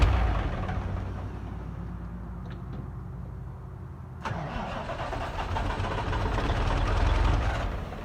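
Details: Kenworth K100 cabover with Caterpillar 3406 diesel: steady cranking about four turns a second, then it catches sharply and runs rough on ether only; fuel system not delivering, starts only on starting fluid.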